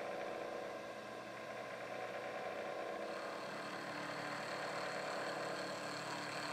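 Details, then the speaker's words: Milling machine taking a heavy pass, end mill set about 10 thou below the stock edge and cutting into the fixture, sizing a Hemingway knurler part: steady spindle whir and constant cutting tone, no chatter or squeal, a healthy cut. "I wasn't really sure how this was going to behave but it sounds good let's go ahead and take a nice meaty cut here and get this part down to size"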